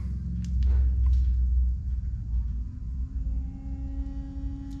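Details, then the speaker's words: 2017 Chevy Malibu with Diode Dynamics LED headlights, whose built-in cooling fans hum whenever lights are on: low, soft steady hum under background rumble; normal fan noise, not loud, nothing to worry about. "The Diode Dynamics lights have got built-in fans on them to help cool them, and by helping cool them, it makes them last longer. So whenever the lights are on, you're actually going to hear a little bit of a hum."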